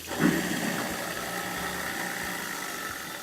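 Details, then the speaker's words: Newly installed half-horsepower garbage disposal (replacing a leaking unit) running after the leak test passed: steady, even hum with a faint constant high tone, no rattles or knocks; motor runs smoothly and healthy. "so looks good on the leak test we run the motor again"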